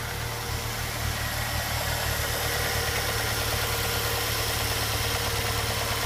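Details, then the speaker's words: 2006 Ford Fusion G1 at 98,000 km, idling: a light, even toc-toc tick about three times a second, coming from the intake manifold rather than a head or valve problem or engine knock. "tá vou dar uma olhadinha nesse barulho que fazendo um toque toque escando Então por muito tempo eu me preocupei achei que era problema no cabeçote alguma coisa é válvula"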